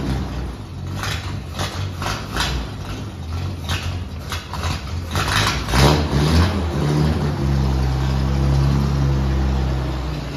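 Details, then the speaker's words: 1948 Dodge Power Wagon, barn-fresh and first got running two days earlier. Cranks with uneven chugs, catches, then settles into a steady, even low idle rumble: a normal cold start. "the Fantastic cold start you just heard comes courtesy of my 1948 Dodge Power Wagon I got this thing running two days ago runs surprisingly well"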